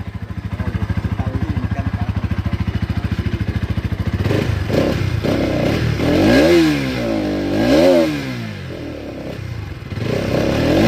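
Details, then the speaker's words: Bajaj Pulsar NS200 BS6 brought in with a no-start and fuel injector warning; once the fuel pump ran, it started on the first self-start press, settled to an even idle about three pulses a second and revved freely; normal. "देखिए गाड़ी हमारा एक self में start हो गया दोस्तों। Starting में किसी प्रकार का कोई दिक्कत नहीं है।"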